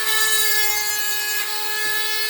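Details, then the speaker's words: Diamond burr drilling sea glass, kept dipped in water: steady high whine with dry scraping rub, squeak and slow labouring cut; burr getting blunt after going through thick glass. "But this is getting a bit blunt this now because I've gone through some pretty thick glass."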